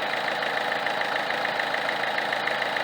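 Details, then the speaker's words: Peugeot 307 2.0 HDI 110 hp diesel, idling, felt with a wooden stick stethoscope on the alternator: uneven rattling vibration about three beats a second, out of step with the engine; worn Bosch alternator decoupler pulley. "j'ai senti des vibrations anormales au niveau de l'alternateur autre que les avec un autre rythme que les vibrations provenant du moteur"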